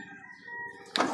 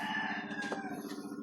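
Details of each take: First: Driver-side power window after the window track was greased, lowering: smooth, even motor hum for under a second ending in a soft thud as the glass stops; normal operation. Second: Driver-side power window motor hums with a rapid fluttering pulse as it labours to lift the glass, then surges; the window sticks on the way up and needs pushing up by hand, even after greasing the rail.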